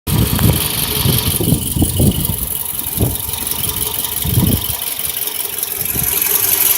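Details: 2008 Toyota RAV4 petrol engine idling with irregular low thumps and random stumbles from a misfire. The misfire was very random, and the car also had an oil consumption issue.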